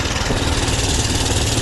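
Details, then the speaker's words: 79 cc Doodle Bug minibike single-cylinder engine, which usually runs poorly until warm and has a failing clutch, started on choke: steady even idle, no sputter or misses. Runs healthy, carb may need slight adjustment. "she sounds good idle's good sounds like a Runner boy seems like a"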